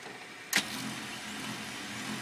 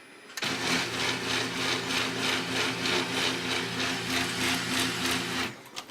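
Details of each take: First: HP LaserJet P2055 printing in quiet mode: a click then a soft, even whir with the loud hum gone but print speed reduced; a fuser overhaul with new film, bushings and roller had not helped. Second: HP LaserJet P2055 while printing: loud, harsh hum and rattling whir pulsing about three times a second; fuser film, bushings and rubber roller replaced and gearbox and fuser drive serviced without curing it; quiet mode suggested.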